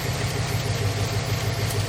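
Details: 1997 Lexus LX450 with 5.3 LS swap and 6L80, idling after coolant sensor reconnected: steady even idle, smooth low rumble, no belt chirp or squeal; belt not riding up the crank pulley, accessory drive healthy.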